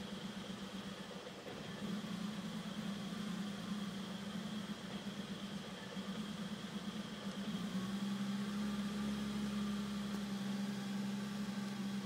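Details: BMW E34 M5 idling: low note that wavers and hunts unevenly rather than settling smooth; a rough idle, described as a small issue, cause not yet pinned down.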